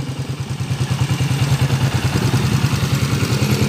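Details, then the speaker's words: TMX155 motorcycle, restored and converted to CDI, before overhaul; rapid regular clatter over rough uneven idle, noisy timing gear, rough when revved; worn camshaft, valve tips and tappet screws; valve train ticking. "Ayan, maingay na rin yung timing gear mga bro. Malagitik. Tapos magaspang pag nire-revolusyonan natin."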